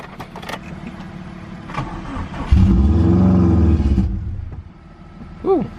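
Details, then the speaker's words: Subaru WRX that had sat long on jack stands, first start on jumper cables. It catches, revs unevenly, then sags and nearly dies; the owner suspects an open vacuum hose and tapes it as a temporary test: rough running. "as expected our start did not run very well so I suspected that it was this vacuum hose this right here"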